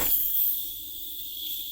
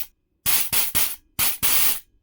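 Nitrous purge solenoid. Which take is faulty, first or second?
first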